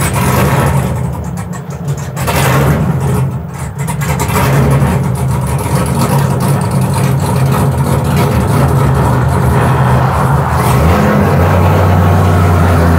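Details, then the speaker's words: 1967 Chevy C10 V8 that broke down at the dragstrip: fires and idles fine but runs rough, stumbles and dies the moment the throttle is touched, after running about 10 seconds; cause unknown. "It just died again. It's really unhappy. Well, it ran good for a minute. Well, Yeah. actually about 10 seconds. Yeah, that's the weird thing. You fire it up and it idles just fine until the moment you touch the gas pedal, and then it just says no."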